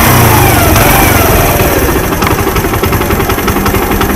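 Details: Suzuki Intruder 125 with about 16,000 km, idle for about a month: revs rise, then uneven sputtering beats break up firing as it drops back, a misfire; owner suspects bad fuel and a dirty carburetor.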